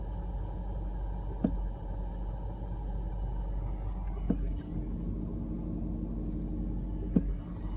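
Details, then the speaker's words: BMW E34 with stereo and air conditioning off: steady low whirring rumble with occasional light ticks, like a fan running behind the dashboard; source unknown. "sounds like a fan running behind the dash or something somewhere i've got the stereo turned off even the air cool turned off it sounds like a fan coming from behind the dashboard"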